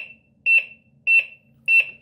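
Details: Smart Water Leak Alarm WiFi flood detector, battery-powered, tested with its wire probe: loud high-pitched double beeps repeating about every 0.6 seconds in a quiet room; alarm triggered by the wet probe.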